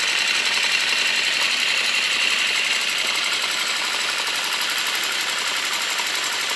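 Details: Honda CB650 Custom idling warm after a very cold start: fast, light, even ticking at about four per second over a thin idle hum, with slight backfiring. The owner suspects valves on cylinders 3 and 4, or the clutch or cam chain; unconfirmed.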